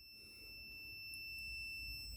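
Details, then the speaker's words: Kaabo Wolf Warrior GT electric scooter showing error 30, multimeter continuity test from the top connector pin: steady high continuous beep to the blue and white wires, continuity between pins that should be separate. "Right, so I've connected up to this one at the top, and if I go to the blue, which is the very end one, there we go, but still to the white."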